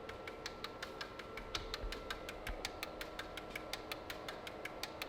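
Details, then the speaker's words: 12-rotor rotary engine, injectors triggered while checking fuel delivery: crisp, evenly spaced clicking at about five per second with no skipped beats; stage 1 and stage 2 fire two injectors at a time, all firing in proper order. "so what you're hearing is that it's firing six rotors and going back six rotors and going back but it's firing two at the same time in stage one is one of these stage two is the other one and so you can hear it we're not missing a beat"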